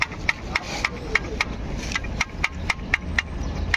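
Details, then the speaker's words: Jeep Compass engine bay noise traced to the alternator overrunning pulley, locked both ways instead of freewheeling one way: sharp dry clicks about four a second as it is turned by hand; failed pulley, replaced. "यही आवाज हमारा engine में आ रहा था तोय pulley को replace करेंगे pulley हमारा खराब हुआ है यही आवाज है बुल्ली खराब है"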